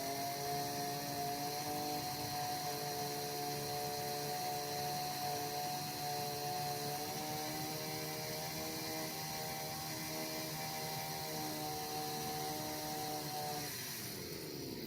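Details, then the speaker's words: Chinese brush cutter at full throttle after carburettor adjustment: high, steady buzz without surging or stumbling, falling away cleanly off throttle; normal full-throttle running. "A brush cutter or chainsaw is always adjusted at full throttle. We squeeze the full throttle and turn it gradually. And we listen to how it goes under load into work."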